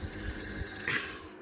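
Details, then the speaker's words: Midea air conditioner indoor blower just after servicing: low snoring throb about three times a second over fan hiss; blower wheel hub rubbing on motor shaft; shifting blower left did not stop it. "lepas tu dia bunyi macam ni macam berdengkur tu leas tu dia dari sini bunyinya tapi tak tahulah sebab apa."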